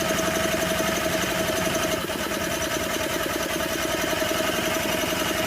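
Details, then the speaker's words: 1984 Honda EM600 generator being revived: the single-cylinder engine putters at a slow, loping idle with an uneven beat. The speed adjustment is backed way off, so it runs underspeed at 41 AC volts. "I might have it way too slow but she's a quiet little thing in that yeah I back that thing way off 41 volts is what we're doing"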